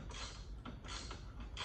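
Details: Club Car DS golf cart front leaf spring before repair, wobbling loose with its spring bushing missing and the suspension sloppy. Irregular dry creaks and squeaks come in bursts as the spring shifts.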